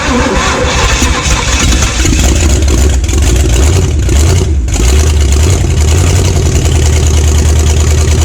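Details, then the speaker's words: 1970 Pontiac LeMans, Pontiac 350 V8, first start after decades sitting, no exhaust, oil added in cylinders causing smoke, fuel pump leaking at manifold: loud, deep, steady rumble, even firing, no knocking. "this sounds pretty good though got a lot of smoke of course that's all the uh oil and stuff I put in the cylinders"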